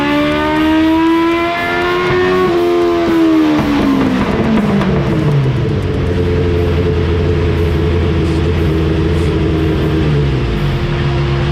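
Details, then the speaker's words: 1987 Suzuki GSX-R 1100 with carburetors cleaned and tuned, full-throttle dyno run; engine note climbs cleanly and winds down without stumbles, smooth even pull after the earlier choppy run. "did you hear how the last run was smooth it was good yeah good and the other run before that it was just kind of Chucky"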